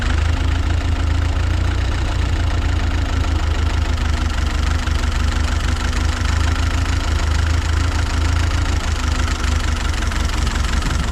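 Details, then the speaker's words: Ford 8N tractor, warming up, low steady idle with an irregular recurring skip; owner suspects an intake leak causing the miss, though oil pressure is good. "still has kind of a Mist to it SE that ice spe through a little bit probably getting that Miss from that leak on the intake"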